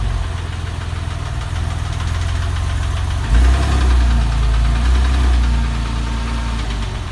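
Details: Porsche 996 flat-six engine at an even idle with a regular low knock about four times a second over the running engine; the source of the knock is not pinned down.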